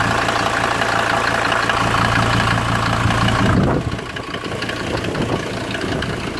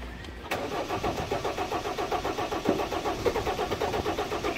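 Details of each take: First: 1991 Ford Explorer turbo diesel cold start after sitting since July 2016, fuel primed and battery charged, in strong wind: settles into an even steady idle clatter, no misses or knocks; normal, though injector return lines later leak diesel. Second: 1991 Ford Explorer turbo diesel, sat since July 2016 during solid-axle and gear-ratio work: even cranking about five pulses a second, never firing; no start from fuel starvation.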